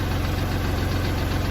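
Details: Kubota tractor diesel that wouldn't crank despite power and good fuses, now running after a jumper wire bypassed the weak ignition/start switch: steady, even idle chug with a low regular beat, no knocks or misses; normal.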